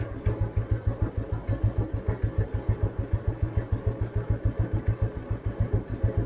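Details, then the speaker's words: 1988 Royal Enfield Bullet 350 (80s CI engine), crawling slowly in top gear on a village beach road: slow, even thumping at about three beats a second, no strain, stumble or knocking; healthy single, normal low-speed running. "ഇത് നോക്കിക്കോട്ടോ, top ഗിയറിലാട്ടോ വണ്ടി പോണേ. ഇത്ര സ്ലോയിൽ നമുക്ക് ഇങ്ങനെ, ഇതിലും സ്ലോയിൽ നമുക്ക് വേണമെങ്കിൽ ഇങ്ങനെ ഇഴച്ചഴച്ച് കൊണ്ടുപോകാം വണ്ടി."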